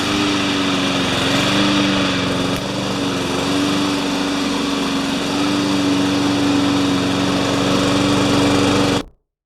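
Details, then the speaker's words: Craftsman 21-inch mower with Honda engine, after blade work: even steady note for nine seconds, no surging; it surged the day before, water in the fuel suspected. "So it's not surging, but yesterday it was. So that tells me that there's probably water in the fuel or something."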